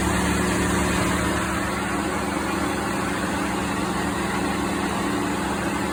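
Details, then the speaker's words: 2016 Ford F-150 5.0 V8, about 62,000 miles, idling during A/C troubleshooting: steady whooshing cooling-fan roar over an even idle with a low hum. Cooling fan running on high; owner suspects an expansion-valve blockage, cause unconfirmed. "But yeah, I don't hear the cooling fan kicking on, of course. My luck. Oh, I hear something. There it is."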